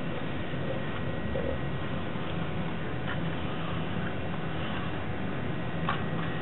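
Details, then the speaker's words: GM instrument cluster (Escalade, shared with Silverado/Tahoe/Yukon etc.) on bench test after all gauge motors replaced: needles swept by hand run smooth, only soft light ticks with no grinding, showing healthy motors. "all all right can hear and see that those ones run much much smoother than the other one so that's how we know whether or not your cluster is going to work better once you get it back"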